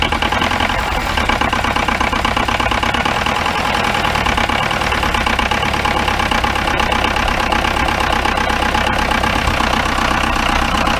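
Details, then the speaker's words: 1953 Mercedes 170D four-cylinder diesel, previously seized and revived, with valves adjusted and bad glow plugs replaced. It idles with a steady, even diesel clatter and no misses; it is running healthy. "look at that that sounds pretty good"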